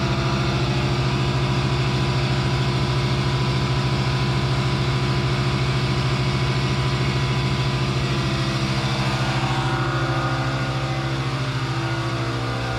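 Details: Newly installed 15.5 A air compressor on a new 240 V 30 A basement circuit, first switch-on: a steady low hum with an even pump thump of about three beats a second and no knocks or squeals. The compressor runs normally.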